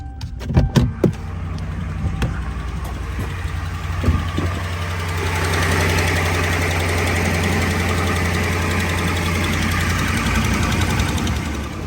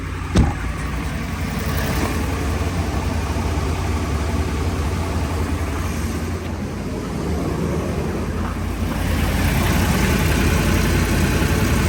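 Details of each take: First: Ram 1500 5.7 HEMI before repair: after start-up, a light rapid ticking about four per second rides over the idle, from warped exhaust manifolds with broken bolts leaking at the head; fix is resurfacing manifolds, new gaskets and bolts. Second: Ram 1500 5.7 HEMI at idle after resurfacing warped exhaust manifolds, replacing broken studs/bolts and new gaskets: steady, smooth exhaust note, exhaust manifold tick gone; healthy idle.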